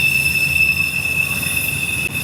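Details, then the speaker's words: Intermodal freight train with USPS containers on Horseshoe Curve, Pittsburgh main line, wet day, picking up speed, no helpers: piercing steady high-pitched screech over rail rumble, one wheel squealing on curve; hot wheel suspected, not confirmed. "Definitely a squealing wheel right there, Hot Wheel."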